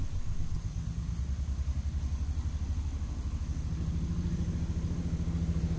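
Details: BMW 325ti E46 Compact inline-six that runs like a three-cylinder instead of a smooth six: low, lumpy rumble with an uneven pulse at idle, likely misfiring on several cylinders, cause not yet confirmed.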